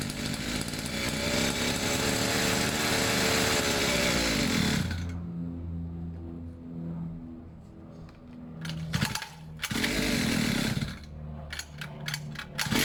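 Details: Two-stroke pit bike, fresh fuel, long unused, choke off, idle a bit weird: screaming high revs drop into a hunting, stumbling idle with ragged bursts; erratic running from slipping choke.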